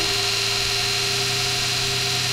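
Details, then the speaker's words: Kostov 11-inch DC series motor after brush and brush ring replacement, running in: steady even whir with clean high hiss, no knocks, scraping or brush chatter, not very loud; normal running. "and actually not terribly loud"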